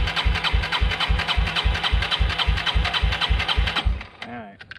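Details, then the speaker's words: 1996 Yamaha Timberwolf 250 ATV brought in not running, petcock giving little fuel to filter: engine chugs evenly about 3.5 beats a second for four seconds then dies, won't stay running; carburetor suspected, not confirmed. "I'm gonna try to turn it on. Don't think it'll stay running here. It's not supposed to, that is."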